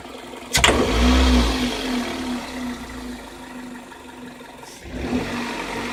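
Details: Car engine: one sharp metallic clack as the throttle snaps open, then back to idle. Denso iridium plugs at 26,000 km, Shell 0W-40 oil at 6,000 km, possibly bad AI-92 fuel, frost to −53°C; owner wonders if the cold contributes. Cause unclear.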